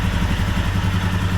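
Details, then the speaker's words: 2021 Royal Enfield Himalayan Euro 5, 6,000 km, idling out of gear: steady single-cylinder thump with a light metallic rattle from the lower right of the engine, worse as it gets hotter; oil pump drive chain/gear rattle. "now I can hear it rly and the hotter it gets the worse it gets"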